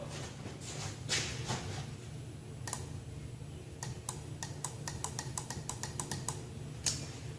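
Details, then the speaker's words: Horn button pressed with the relay reinstalled: sharp, faint relay clicks but no horn tone; the horns worked when the relay was bypassed with a jumper wire, so a bad relay is suspected but unproven. "You'll notice that the horns don't activate, but you can hear a faint clicking sound like my relay's activating."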